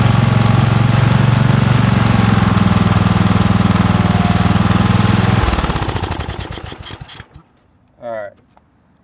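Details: 2006 Cub Cadet LT1045 riding mower holds a fast, steady idle with no settling before shutting off; owner suspects the governor is out of adjustment; high idle.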